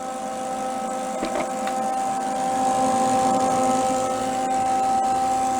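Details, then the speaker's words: Old roadside-discarded Lincoln 110/120 V wire-feed welder, first power-on after long storage: steady high-pitched electrical hum with rough buzzing edge, smells a little funny; owner wonders if something is stuck in the fan. "it sound like it's like buzzing like electrical buzzing i don't want to touch it smells a little funny too"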